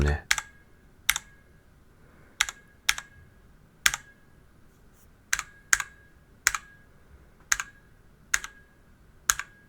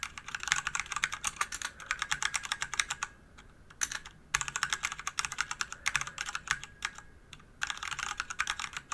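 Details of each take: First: DIY DZ65RGB V2 keyboard with Cherry red switches in an aluminum case. Each keystroke leaves a short metallic ring after the clack: the switch springs are pinging (spring ping). Lubing the springs is the suggested fix. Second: DIY DZ65RGB V2 hot-swap keyboard with Cherry red linear switches in an aluminium body of over 1 kg: quick, crisp keystroke bursts, clean and even; stabilized keys rattle and some spring ping is noted; normal typing sound.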